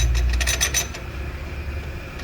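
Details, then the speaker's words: 2011 Chevrolet S10 Flex, rear noise over asphalt, bumps and cobblestones: loose metallic clinks and rattles as the truck jolts; the parking-brake rod is loose inside the rear drum even with the brake applied. It is not the cable, shock bushings, tank or pipe, and the linings are not low. "Esse é o barulho do carro. Você andando ali no asfalto ali, fica infernal o barulho. Lombada, rua de paralelepípedo, tudo faz esse barulho, ó. Ela fica assim, solta aqui dentro. Mesmo pisando no freio, que essa haste aqui é do freio de mão."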